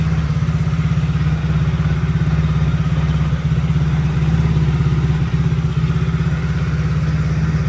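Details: 110cc Chinese ATV single-cylinder after the intermittent-spark repair. Low, steady chuffing at about three even beats a second with no missed beats or rattles; runs healthy.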